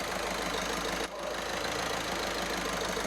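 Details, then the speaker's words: Skoda Superb 1.6 TDI diesel after fitting new Continental injectors; steady, even idle with no misfire, skipping or injector rattle over the clatter, night and day versus before; normal healthy diesel idle. "That is a night and day difference compared to what it was like before. Totally smooth, ready to drive. It's not skipping. You can't hear a rattle from the injector."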